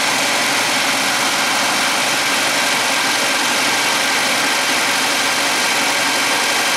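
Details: Suzuki G16B 16-valve (Geo Tracker) engine, 133,000 miles, after valve lash adjustment, warmed up: steady even idle hum with bright airy hiss, no ticking or misses; running smoothly.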